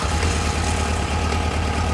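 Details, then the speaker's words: Kawasaki 1000 ATV V-twin after airbox delete with individual filters and rejetted carbs, in neutral, no choke, just started: steady, even low thump, smooth clean idle; loud crankcase vent. "hey there we go smooth too real smooth that crankcase vent is so loud"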